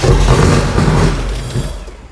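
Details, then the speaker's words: Range Rover Classic V8, about 30 years old, first start after sitting 7 years; loud, deep open burble with no silencers fitted, firing evenly with no knocks or bangs; normal running, just needs silencers. "it that's loud though yeah it needs the silencers on"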